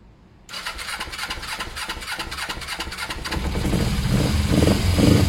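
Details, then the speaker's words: Motorcycle started with fuel poured directly into the carb and no airbox fitted: catches almost at once after a brief crank, then settles into a steady, even idle with a firm low beat, revving cleanly. "so straightaway that sounds very good that one it starts it's idling revving it up"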